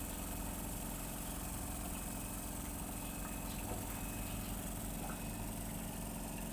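A steady, even hum with a low buzz and no knocking or rattle; the small pump is running normally.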